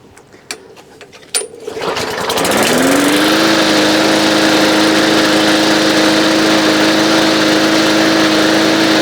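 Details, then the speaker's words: Old green push mower that wouldn't start, nearly out of gas, primed once after its carburetor was removed, cleaned and reassembled; a few pulls, then it catches and settles to a steady high idle with no misses or surging; runs normally. "I was going to junk it, but I tore the carburetor off and sure enough. There you have it."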